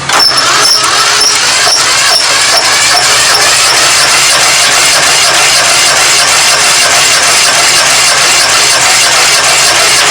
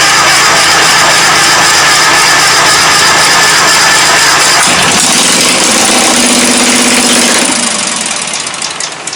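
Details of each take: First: 1997 Craftsman GT 6000 lawn tractor, Kohler 18 hp 691cc opposed twin, compression test: steady fast cranking with even starter whir and regular compression pulses, reading 120 psi. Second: 1997 Craftsman GT 6000 lawn tractor, Kohler 18hp 691cc opposed twin, stuck cylinder soaked in ATF; catches and runs rough but steady on fuel poured into the intake, then dies as it runs out.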